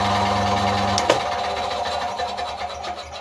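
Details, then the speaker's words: Relay-controlled compressor on 230 V mains in New Zealand, simulated power cut: steady motor hum, then a single sharp thud as the low-voltage contactor releases and the hum winds down; power return won't restart it without pressing Start; normal drop-out. "you heard the thud of the contactor releasing powers back on nothing's gonna happen I have to press Start to actually get this guy"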